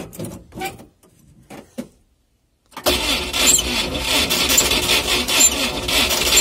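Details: UAZ with suspected spun bearings, cold start: catches after a couple of seconds, then a sharp high squeal with quick ticking over the rough engine; squeaking engine, cause not confirmed; smoke previously came from the engine.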